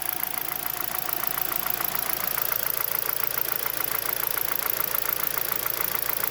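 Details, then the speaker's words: 2011 Hyundai Solaris G4FC, 166,000 km, new chain, tensioner and phaser; warming idle about 900 rpm; crisp regular tapping about two per second from the upper engine; owner suspects piston slap or valves tightening when hot, unconfirmed: engine knock. "Ну что можно подумать блин поршня Почему на холодную не стучат или с прогревом голова поршня расширяется становится больше чем юбка юбка начинает долбить"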